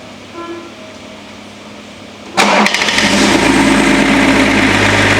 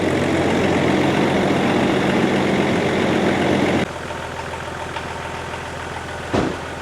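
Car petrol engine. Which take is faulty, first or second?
first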